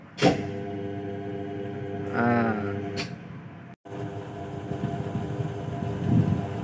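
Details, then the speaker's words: Daikin 8 PK central AC, previously not cooling, tripping its MCB and protecting, compressor heavy; after repair (fault was at the evaporator) it runs a steady even hum with a firm low drone, no trips or surging for almost 2 minutes. "Ya trable sudah selesai ini sudah tidak protect ya udah hampir 2 menit lebih"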